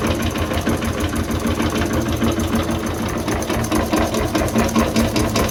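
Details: 1920s Renée stationary engine, unrun for years, low compression with suspected stuck piston rings: after restart, slow steady chugging about 97 beats a minute with even mechanical clatter; running normally.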